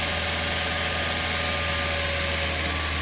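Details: Toyota Vios 2007 at idle with AC running after compressor replacement and system flush; outside air about 30-31°C, system recharged, fan speed 2 check passes. Smooth constant hum and airflow hiss, no grinding or squeal; compressor normal.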